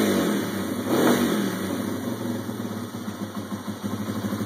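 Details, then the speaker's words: Yamaha TW200 single-cylinder motorcycle, just reassembled after setting valve lash (intake .002-.004 in, exhaust .004-.006 in). A steady idle after a brief blip with an even beat and no ticking or knocking; no funny noises, a healthy idle. "all right we got her back together fire it up see how she sounds no funny noises that's always good"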